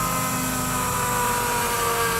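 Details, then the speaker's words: Ford PowerStroke diesel truck, unrun for about two weeks, priming its newly replaced fuel pump at key-on: a loud, steady electric hum with a constant whine. It builds pressure, confirmed by the gauge, with no leaks. Normal prime. "And there goes pressure. At least it sounds like it. Fuel pressure gauge says so."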